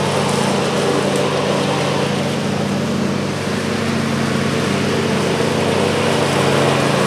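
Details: John Deere LA135 42" mower deck after a rebuild kit (new blades, belt, pulleys, spindles) fixed a horrible whining with the blades engaged: steady engine drone with a smooth, even blade whir, no grinding, rattle or bearing squeal; sounds healthy.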